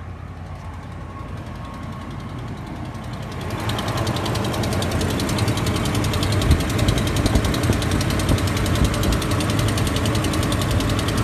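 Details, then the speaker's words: Dodge Ram HEMI V8 started cold, heard from outside the truck: fast steady low ticking from an exhaust manifold leak with two sheared manifold bolts, caused by cast manifold warping on the aluminium block. "So here it is from another angle, which obviously you can't see anything, but maybe you can hear it's just a low tick."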